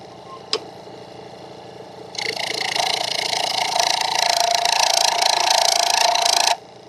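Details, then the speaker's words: Wood lathe with Vicmarc Escoulen eccentric chuck turning sycamore far off the headstock, 30-degree half-inch gouge: harsh high buzzing chatter as gouge bites; thin wood vibrating, light cuts needed to avoid breakage. "gotta go soft though that that sound is killing me that is absolutely the sound of the wood vibrating probably right here"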